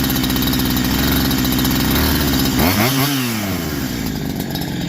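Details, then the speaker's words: Farmertec Holzfforma G372 XP (Husqvarna 372XP clone) after fitting an OEM Walbro HD12 carburetor and adjusting idle, air filter off: steady low-throttle note that revs and drops back smoothly, no longer dying on part throttle; running healthy. "so I couldn't do that before I couldn't just give it a little bit of throttle it would it would die out on me"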